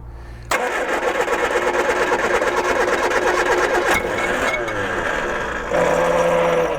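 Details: 1978 Triumph Spitfire 1500, not run for years, first crank attempt: starter spins steadily for several seconds with only a faint cough, never catching; cranks but won't start, air filter possibly clogged, easy start planned.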